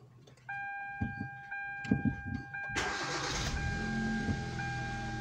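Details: 2012 Hyundai Veloster after a steering noise repair, with no trouble codes. Quiet ticking and a chime come before the engine catches, then a steady, even idle with no whine or groan from the steering, a normal start and idle.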